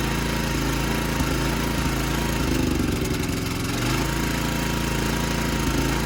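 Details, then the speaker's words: 55-year-old Montgomery Ward lawn tractor single-cylinder engine on shot engine mounts: rough chug with a loose knocking rattle when revved low, misfiring and shaking; owner suspects a cover moving on the bad mount and wants a new plug. "Something knocks real bad when it's like revved low, but I think it's just that cover like moving around in the shot mount."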